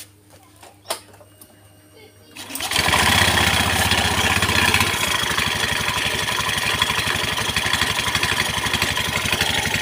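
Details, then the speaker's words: Honda Beat scooter CVT, cover removed after years without service, dusty: engine fires, then rough rattly whirr around four beats a second from the rear pulley, louder when revved; worn roller housing, front pulley also suspect. "sekarang udah dibuka bakshi pipinya baru kedenger ini suara kasarnya puli belakang pasti ada yang bermasalah guys"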